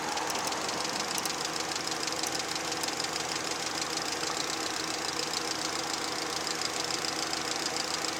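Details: VAZ 2110 16-valve engine running; light uneven metallic tapping over a busy idle. Engine knock, cause not yet pinned down.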